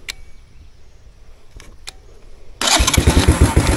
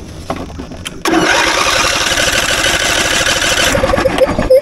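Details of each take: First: Dead three-wheeler battery, jump-started with an Andeman E-P155 Pro jump starter: a few faint clicks, then it fires straight up into a steady, even chug; normal start once the battery has enough power. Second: Lawnmower that sat for a while with its battery at 4.01 V, boosted to 15.2 V by an Andeman E-P155 jump starter: starter spins the engine steadily with an even churning rhythm but never fires. Cranks, no start.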